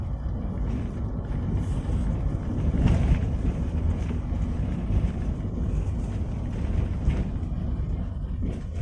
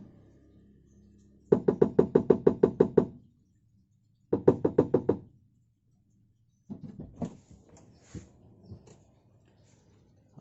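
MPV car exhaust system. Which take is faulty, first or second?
second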